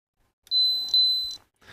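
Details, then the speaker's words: Roberts R707 radio main-board capacitor ESR check: capacitor tester gives three short high-pitched beeps signalling the 640 µF speaker-output capacitor is in circuit or leaky; radio not working at all, shorts previously found in Mullard module. "saying it's in circuit or leaky, which it is."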